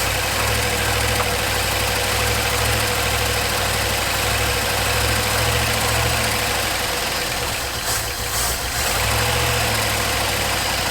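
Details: 1974 Ford F100 4x4 V8, long parked, restarted after some jerry-rigged fixes: steady, even idle with smooth low rumble, no misses or knocks; running well.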